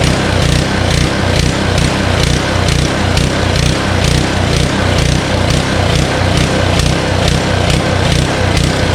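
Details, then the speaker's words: Honda Harmony HS520 four-stroke snowblower in 21-degree cold, after a quick-and-dirty carburetor clean: the small engine's speed rises and falls a couple of times a second instead of holding steady. It runs fine on choke but surges when the choke is taken off. "You guys noticed that it runs great on choke, right? And then when you try to take the choke off to completely 100% run, it starts to surge, which is a common problem, especially if you just did it quick and dirty."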